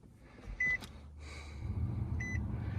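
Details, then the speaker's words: 2016 Nissan Sentra blower motor after removing it, clearing leaves and acorns that caused a loud noise, and reinstalling: two dash beeps, then a smooth, even low fan whoosh with no rattles or scraping, even at higher speed. "Sounds normal to me, and I can turn the fan up. Sounds good. No more funky noises."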